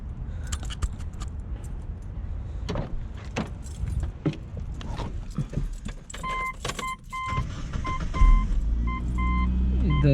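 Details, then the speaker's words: 1999–2002 Mitsubishi Mirage with a rebuilt alternator just installed (the old one caused a voltage problem that drained the battery). Keys and door chime, then the engine cranks, catches and settles into a smooth idle with no squeal or whine. Normal start and idle. "make sure everything's spinning no noise there's a spinning looks like it's working"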